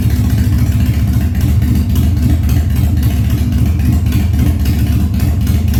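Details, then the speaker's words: 1997 Harley-Davidson Fat Boy after carb cleaning, loose carb cables fixed, new plugs and battery; cold start on choke at 70°F humid, no air cleaner fitted: deep even V-twin idle, steady loping beat, no misses or knocks; healthy idle. "all right I'd say that she's doing pretty good for not even having an air cleaner on there yet"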